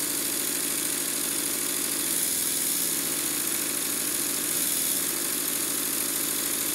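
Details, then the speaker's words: Stuart Models Double 10V model steam engine, freshly oiled, sped up under heavy load from Scotch-Brite on the flywheel: quick, even exhaust beats under steady hiss, no knock; runs well, though one eccentric sheave grub screw is broken and timing needs slight adjustment. "as you can hear and see the engine runs very well but i would like to just slightly adjust the timing"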